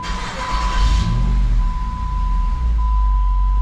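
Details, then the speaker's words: 2007 Jeep Grand Cherokee SRT-8 6.1L Hemi after taping over a hole in the throttle body: starts and drops straight into a steady normal idle, no hunting, under a thin whistle. "Oh, look at that, it just comes to an idle. It's a miracle."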